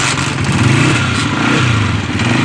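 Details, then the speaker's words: Single-cylinder motorcycle fitted with an anti-theft kill switch (chor switch), kick-started with the choke up after a low-petrol issue: it settles into a steady, even putter with no knocks or misses, running healthy. "अभी स्टार्ट करते हैं तो किक मारेंगे, अभी स्टार्ट हो जाएगा बाइक।"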